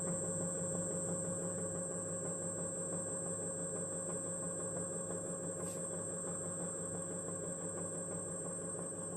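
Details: Xiaomi M365 electric scooter hub motor, about 1000 km, checked over a knocking noise: soft steady hum with faint even high whine, no grinding or knocking as it spins; normal hub motor running.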